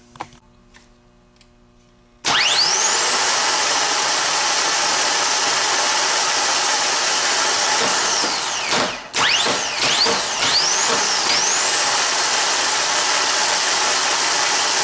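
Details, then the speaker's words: Harley-Davidson trike reverse starter motor after solenoid replacement, clamped in vise, bench free spin via jumper box: instant steady high whir with brief midway dip; normal healthy free spin. "we're going to show you how to free spin and you can get an idea of what it sounds like what it looks like and how far the Bendix gear supposed to kick out when the whole operation is complete"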